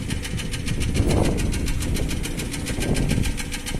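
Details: Nissan Almera N16 at idle, oil control rings previously replaced, no smoke: quick even ticking of about eight light taps a second over the idle, valve tapping from the top end.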